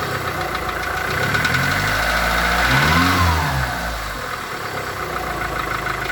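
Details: VW Golf 4 1.4 16V at idle: steady, fairly regular light knocking over idle, carrying through a short rev; internal engine knock of unknown cause.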